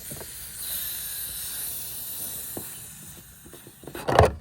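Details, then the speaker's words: 2024 Kawasaki Ridge XR: steady airy hiss of gas escaping as the fuel tank cap is unscrewed, ending in a clunk; owner says the tank sometimes seems not to vent well. "The fuel tank doesn't vent well when you unscrew the fuel tank. I don't know if you can hear that, but you can hear the gas escaping."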